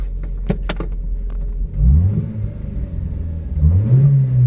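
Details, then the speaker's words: 34-year-old Nissan March Super Turbo (PT12), restored, before its first drive: idle throttle blips climb cleanly and settle back with no hesitation or misfire, running smooth; it revs freely at idle, but under load it does not rev above a certain point. "when you rev it on idle, it's fine, it's under load, that it's not going above. But it seems to be running pretty happy, pretty smooth."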